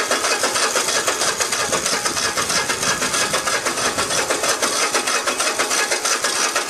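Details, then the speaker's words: Cub Cadet i1050 zero-turn mower left outside for years: starter spins it over evenly about three times a second with no firing; fuel reaches the pump but carburetor jet clogged with stale-fuel residue. "all right so i went and took the carburetor off i had a feeling it was uh clogged up or something because uh i know there was fuel getting through the fuel pump"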